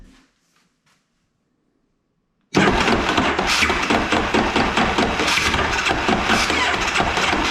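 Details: 2001 Yamaha Kodiak 400 ATV after new starter clutch and starter fitted: loud harsh whirring grind with uneven knocks about three per second while cranking; owner unsure whether starter or one-way bearing, starter later noisy even when loose.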